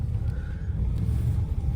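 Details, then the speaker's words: Ford F-150 (OBS) at idle: a deep, uneven rumble that surges and dips like it wants to stall. It also jumps and skips while driving, at red lights. The idle air control valve is one common possible cause; unconfirmed. "Well, you guys can hear that truck is struggling to idle, and it even does it while I'm driving as well."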